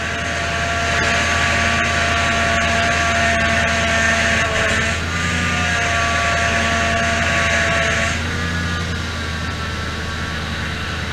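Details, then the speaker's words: 2004 Toyota Tundra, 215k miles, idling just after swapping in a power steering pump; steady high whine over the engine, even pitch, from air in the fluid, expected to quiet down; banjo fitting slightly wet. "looking at that right there at least they got power steering not happy about it"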